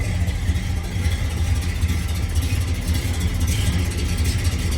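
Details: 1970 Dodge Super Bee with replacement 440 six-pack (three two-barrel carbs), dual exhaust, 4-speed manual: deep, lumpy V8 idle with steady uneven burble, no knocks or ticks; normal healthy idle.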